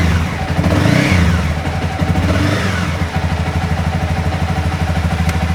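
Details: 2015 Honda CBR300R, 4,000 miles, sat almost two years and would not start; after replacing the fuel pump, injector and fuel filter it fires and settles into a steady even idle with clean rev blips, no misses or knocking.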